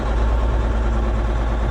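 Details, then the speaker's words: Versatile 2360 tractor, Cummins N14 rated 360 hp, idling: heavy shaky uneven low throb, belts squeaking, cab shaking; customer suspects a sticking injector with mist, later traced to failed number 5 injector. "He said it's got sounds like it's got an injector that's sticking or not working correctly, and it's got a kind of mist to it."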